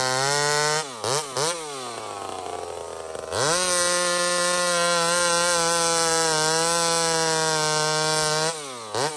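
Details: Small Homelite chainsaw, described as 28 full house on a stock chain, cutting wood: a crisp, steady high-rpm buzz dips briefly on entry, then holds firm through the cut. Normal cutting under load; runs clean and strong.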